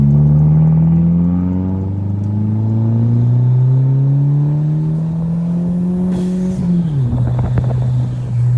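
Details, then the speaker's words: 400K-mile VW B5 1.8T with big turbo on first drive, lowest boost setting: engine pulls hard with rising pitch, then a sharp hiss under boost and revs drop; a blown boost pipe leaking boost. "Hose leak. Hear it? Yeah, that's a boost pipe. She's putting some PSI out if it's blowing boost pipe."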